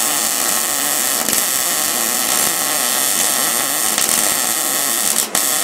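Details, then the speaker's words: MIG welding on a demolition-derby Ford Ranger roll cage install: steady, even crackling sizzle like frying bacon with no popping or sputtering, called the perfect sound. "He's got the sound down. That is the perfect sound. My dad used to always tell me it was supposed to sound like two bees doing it in a soda can."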